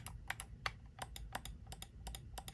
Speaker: they both have different signature sounds which is crazy that they put that um this one has a nice satisfying click